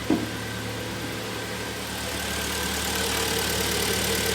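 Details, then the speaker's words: 2011 Hyundai ix35 G4KD, 153,000 km, first start after repair for coked rings and knock: steady, even idle with light top-end whirr, no knocking or misses; healthy. "так пробег 153000 сами слышали работает ровно"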